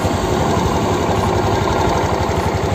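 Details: 2019 Suzuki Access 125 BS4 scooter, 10,795 km, battery weakened by sitting and causing hard starts: smooth, even idle with a steady low putter and no knocks, ticks or misses; engine healthy.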